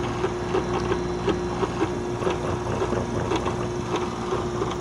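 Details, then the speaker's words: Tanzu battery portable fan (LXT socket), sold as brushless but with a brushed motor: steady hum with irregular rattling ticks and creaks, several a second, same on the adapter; the motor itself is noisy, not an assembly fault. "Ini bunyi dari dinamonya yang tidak stabil, bukan karena salah pemasangan, tapi memang dinamonya sangat berisik."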